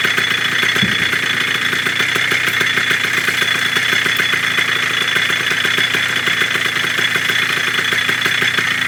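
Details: 1987 Kawasaki KDX80 two-stroke on fresh premix, first start during restoration of a non-running bike: hard, rapid crackle with an uneven note that won't settle into a clean idle; no cause confirmed.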